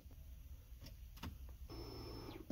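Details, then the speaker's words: 2006 Kia Spectra at key-on from inside the car: a brief steady electric whir of about half a second, then a clean cutoff. Normal fuel pump prime, likely but not guaranteed working, checked while diagnosing a no-start later traced to spark. "basically if you can hear that the more the likely that pill pump is working it's not like I said it's not a hundred percent guarantee but you can say like 80% of the time it's gonna be working"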